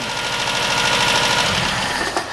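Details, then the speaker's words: Toyota Corolla KE25 after swap to a re-manufactured 4K engine, started right after setting timing to the front pulley mark instead of the back one, no coolant in: quick, even firing with steady open-exhaust rasp; fresh engine idles smoothly, normal idle. "Well, that sounds better. That sounds better."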